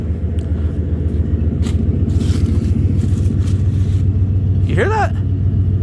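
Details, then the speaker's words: 1993 Ford F-150 once warm: the check engine light goes out and the idle smooths into a low, even rumble; the owner suspects a vacuum leak that occurs only when cold; normal warm idle. "and the check engine light goes out and the idle on this thing Smooths right out you hear how good this thing sounds right now"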